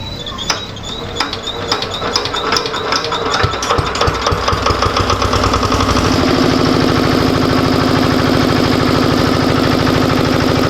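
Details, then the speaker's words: Usha air-cooled Comet DX engine generator that previously smoked and stalled on start, after repair, 240 V output: separate chugging knocks then steady, strong even run without bogging; normal running. "तो जैसा कि आपने देखा पहले यह generator जब चालू हो रहा था तो फिर बंद हो जा रही थी लेकिन अब हमने इसको पूरा टेस्ट करके आपके सामने वोल्टेज वगैरह सब कुछ शो करा दिया है"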